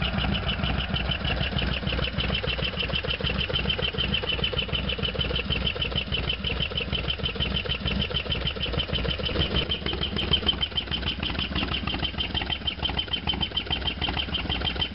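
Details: Harley-Davidson FXDX V-twin, idle after a cold start (not run since yesterday); loping idle with a sharp regular clatter on every beat, loud over the exhaust, source unknown.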